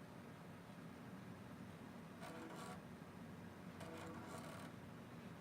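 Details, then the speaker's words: Floppy drive in an HP Vectra 486 DX2 with 16 MB RAM during POST: two short rasping buzzes of head stepping over faint fan hum; seek sounds rough but passed the test, drive suspect. "floppy drive really sounds like crap I'm surprised it works or it passes the test"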